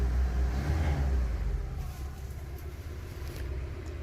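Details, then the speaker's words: 1996 Daihatsu Zebra Astrea Jumbo van, 1300 cc SOHC 16-valve, carburettor and points ignition, government-maintained: quiet low even idle rumble with no tapping or unevenness; smooth healthy engine. "Nih, ini mesinnya halus banget, nyaris tak terdengar, apalagi kalau dicek langsung, karena memang di video itu suaranya suka agak berubah dikit."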